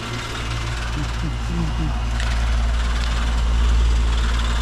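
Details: Old condenser that wasn't running on a call for cooling, contactor now pulled in: low steady compressor hum with even fan noise, no rattles or buzzing; running normally.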